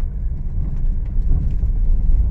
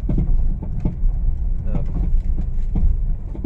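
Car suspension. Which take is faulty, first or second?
second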